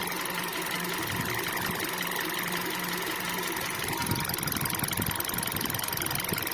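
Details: 2012 Kia/Hyundai, manual transmission, just over 100,000 km: rapid light ticking about three per second over the idle, the same whether cold or warm; owner asks if normal, cause unknown.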